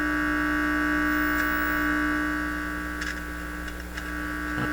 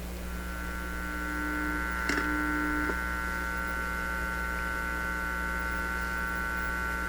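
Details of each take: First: Heathkit IT-12 signal tracer on checkout, volume turned up with the probe open: steady low mains hum with a faint buzzy edge through the speaker. The amplifier stage is passing signal. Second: Heathkit IT-12 signal tracer on the bench, RF input fed about 4–5 MHz from a weak signal generator: only a steady low mains hum with faint ticks, no signal passes; no RF signal, hum only.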